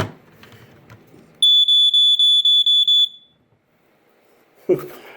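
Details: Sunbeam 45 7A smoke alarm during unboxing: a shrill high chirp pulses about eight times in under two seconds, then stops. The horn went off unexpectedly while being handled; cause unclear.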